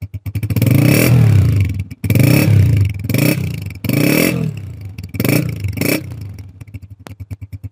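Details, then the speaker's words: Honda CG125 single-cylinder motorcycle after the silencer was refitted and its nuts fully tightened: snaps up cleanly on throttle blips and drops back to an even putter, with no blowing or rattle; perfectly smooth exhaust sound. "बिल्कुल ही perfect smooth sound है"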